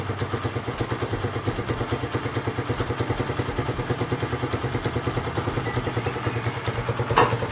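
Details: Honda Sonic single-cylinder, previously hard-starting and sluggish, with compression somewhat low, after fitting and tuning a replacement carburettor: even putter about three pulses a second, steady settled idle.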